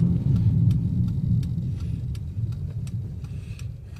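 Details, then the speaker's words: 2005 Chevy Impala while driving, transmission not shifting out of first: heavy low rumble with irregular ticking about three a second; engine stumbling and misfiring under load, shaking a little, cause unknown. "Let me get this parked. It's definitely misfiring. Sorry if that was loud on the ears."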